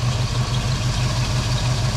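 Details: Foxbody Mustang 5.0 V8 with a steady even low rumble around 1000 rpm, no hunting or surging. This is after cleaning the dirty EGR valve, which the owner guesses caused the long-standing rough idle and surging.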